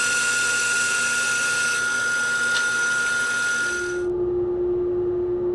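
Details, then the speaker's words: Underpowered old bandsaw ripping wood slabs: steady saw whine with sharp pops as the blade loads with sawdust and vibrates side to side; blade hop from overfeeding. "that is the blade loading up and then vibrating side to side you can't see it with the naked eye but it comes across as a pop"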